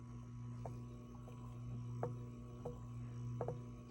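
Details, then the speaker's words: Fender Vibratone rotating speaker, small low-speed motor driving flywheel to turn rotor slowly: steady hum with faint irregular clicks and rattles about twice a second; something loose inside suspected. "not terrible but you can hear it it's really weird there's something loose inside there as far as I can tell"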